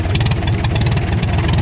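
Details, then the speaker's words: Old Farmall tractor hand-cranked, after carb and magneto advance adjustment, carburetor still needing rebuild: low, even chugging with a steady firing beat and no misses; running cleanly. "Listen to that thing. That's a pretty good job tearing up the ground."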